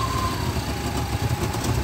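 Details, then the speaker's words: 1993 GMC 5.7L V8 with an irregular lope at idle, trying to die, surging off idle and cutting out while driving as if out of fuel; faulty O2 sensor stuck reading rich. "and as you can hear it's just kind of lopping and trying to die at idle"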